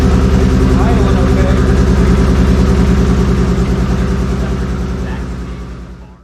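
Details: Chevrolet Z28 with swapped 2JZ inline-six, popping and missing: lumpy, uneven idle with a loping beat of about three pulses a second that fades as it stalls; misfire, cause not yet found.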